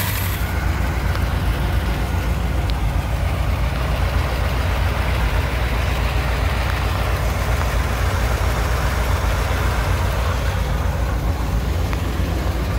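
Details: 1959 Chevy Apache 3100 pickup V8, first run after over 20 years sitting, fuel leak noted: deep steady low rumble with an even beat and no knocks or misses; idles smoothly.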